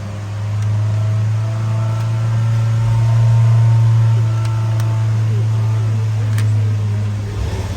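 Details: Skoda Kodiaq 2.0 TSI (engine code CZPA, 132 kW) with low, uneven, lumpy idle and stumbles; fault codes P0506 idle rpm lower than expected, P0300 random misfire and cylinder 1–4 misfires; engine misfire at idle.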